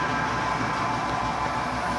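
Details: Italianinha soft-serve cone ice cream machine, previously stuck motor that only hummed, now fixed: steady, even drive motor hum with a smooth whirr and no groaning or stalling, compressor kicked in and cooling; drive motor running normally.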